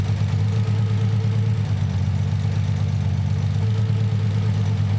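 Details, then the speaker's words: Nissan 300ZX (Z32) cylinder balance test with Consult tool: steady low idle with a slight lope shifts note when cylinder five is cut, so it is firing; the misfire is cylinder two. "so now I'm going to use the consult tool to turn one cylinder off at a time to see which one is misfiring"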